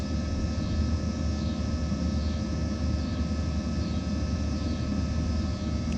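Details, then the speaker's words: Planar 44D diesel heater in a portable Alubox, running full power in summer, recorded down at the unit: steady, even fan and burner roar with a faint constant whine, no surging or pulsing; running normally. "okay i know this isn't a proper test because it's the middle of summer out here but this is what it's like when it's running full bore this is the amount of noise you get down here at the unit"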